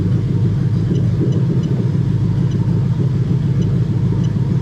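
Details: Lexus LS430 3UZ-FE VVT-i V8 in an IS200 on a plug-and-play harness, with J160 manual gearbox and remapped ECU, during harness testing. Deep, steady idle rumble with an even beat and no ticking or hunting; normal idle.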